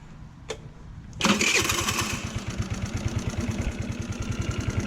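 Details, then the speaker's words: GY6 scooter after replacing stripped, damaged carburetor idle speed screw and spring: a click, then starts and settles into a steady even idle putter; no-start fixed, idle then lowered slightly. "There it goes. Oh, okay. There it goes. There it goes. It's fixed."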